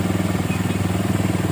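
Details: 2008 Minerva R150 SE 150cc single idling after the burnt charging socket was fixed, charging normal at 14 V (earlier complaint: sluggish pull, engine a bit hot). Steady low thumping of about fifteen beats a second, even and without misses: normal idle.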